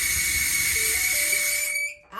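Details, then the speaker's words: Five-year-old Maytag dryer running: a thin, steady high-pitched squeal over the dryer's airy rush from a worn idler pulley; the owner fears the idler arm post it rides on may be damaged. "it's an idler pulley and I hope we haven't let it go so long that it's ruined the uh idler arm post that it rides on"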